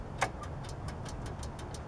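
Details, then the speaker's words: Riding lawn mower starter troubleshooting: the brake-set switch clicks lightly about five times a second but no relay clack follows, unlike a good switch where the relay is heard; the starter relay isn't engaging. Cause unconfirmed. "I can hear it clicking but I'm not hearing the relay"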